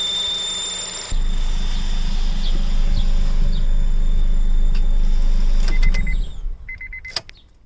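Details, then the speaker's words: Honda Civic Type R at idle: thin, steady high-pitched squeal over the engine from the auxiliary belt's top idler pulley, a second-hand part; owner not fully sure that is the cause. "So when I was at Modnats, it started doing a really high-pitched squealing noise."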